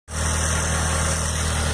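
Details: 2003 Astra at idle: constant hum with a dry rushing whirr from the front of the engine, a loud worn accessory belt tensioner bearing; belt to be removed to confirm.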